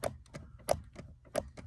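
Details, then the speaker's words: 2000 Acura Integra GSR (B-series) being checked for brake lights that stay on: the clutch switch pin is pushed and released. Crisp, light clicks come about three a second, each clean, so the clutch switch works; the brake switch does not. "you can hear it working but the brake one's not"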